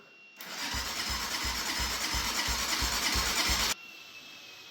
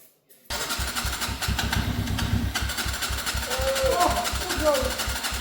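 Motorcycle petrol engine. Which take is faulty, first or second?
first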